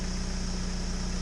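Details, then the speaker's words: Warmed-up 1998 Mitsubishi Eclipse idling steadily and evenly with a constant hum and no misses or knocks after the battery positive cable is removed; it keeps running on the alternator, so the battery was the problem and the alternator is fine. "See, this is off. It's continuing to run. Okay, good news. It was just the battery."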